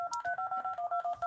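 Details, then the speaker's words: Arduino Uno DTMF program through speakers after reset: about a dozen clean dual-tone keypad beeps, roughly eight per second with short even gaps, no distortion, nice and loud; normal tone output. "So, that's nice and loud."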